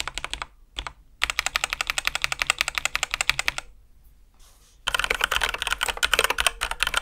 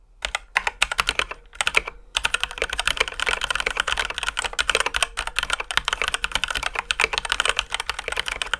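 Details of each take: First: Ducky x HyperX One 2 Mini keyboard after switch lubing, heavier springs and modding: fast bursts of soft, deep, mellow even clacks, much quieter, no metallic ping; normal keystroke sound. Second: Ducky x HyperX One 2 Mini mechanical keyboard, stock before modding: fast typing with sharp high-pitched clacks on press and bottom-out, faint metallic ring; stock switches with a slight metallic ping.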